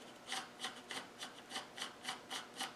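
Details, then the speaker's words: Land Rover LT230 centre differential with brand-new thrust washers and the original shims, dry with no oil, gears turned by hand: soft, even rasping sweeps about three a second, little play, no knocks or grinding; normal smooth rotation. "all right not much no e and remember there's no oil in these as all"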